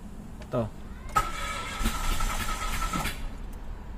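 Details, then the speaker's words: 2016-2017 Mitsubishi Mirage automatic sedan after clearing codes and swapping a relay: starter churns in short uneven bursts and never catches; no start, one spark plug broken from overtightening. "butas spark plug mo bali kasi yung spark plug ni sir na isa nabali kasi nasobrahan daw sa higpit"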